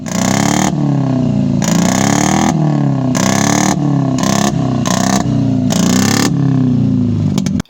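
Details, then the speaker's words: Toyota AE91 project car revving with a ragged, stumbling exhaust note that never smooths out; a bad misfire. "uh so we tried um diagnosing why the car wasn't wasn't like like running right because if you hear it it was really misfiring but for some reason i actually liked it"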